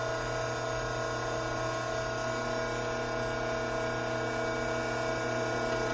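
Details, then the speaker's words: Hydraulic pump with inlet restricted: steady whine with gravelly crackle as vapor cavities implode on the discharge side, cavitation. "Take note of the change in sound that the pump is now making. This agitated sound is created by those now vapor-filled cavities making their way to the discharge side of the pump, forced to implode on their way out."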